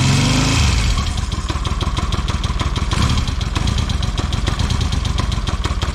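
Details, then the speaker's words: 1979 Yamaha XS750S after refitting the ignition advance mechanism: cranks, catches within a second, settles into steady even beat; starts clean and runs healthy, advance working. "So I'll give it a good test. The advanced system's working well. Put the plate back on, and it starts great."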